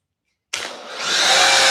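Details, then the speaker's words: Maxflow DDM pressure washer on 20 amp setting at full dial with 1.1 nozzle, with or without foam cannon bottle: silence, then motor kicks on into a loud rising hiss and whine; unexplained noise that stops when dial is turned down about halfway. "Or you run it on the 20 amp, you're going to need to turn the dial down about halfway. That's when that noise stops. I don't know what that noise is."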